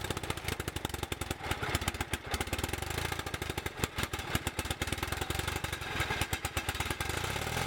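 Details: Bolens QT17 garden tractor single-cylinder engine, first start after oil change, points set, carburetor refitted with new gasket and air element: catches and settles into quick, fairly even putter about eight beats a second; later smokes white and races when warm.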